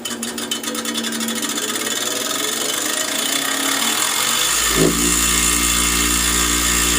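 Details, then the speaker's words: Bench grinder with wire wheel fitted: motor hum with fast uneven ticking and scratching; stray wheel wires are striking the guard. "some of those little wire things are hitting right here"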